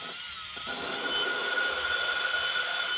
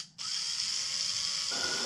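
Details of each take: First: 1997 Land Rover Discovery cylinder head valve lapping with a low-speed drill and water-based compound: steady fine hiss shifting from chunky grinding to smooth as the valve seat beds in. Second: 1997 Land Rover Discovery cylinder head: valve spun by drill at low speed with water-based lapping compound gives harsh, gritty binding grind at start, smoothing out as lapping continues.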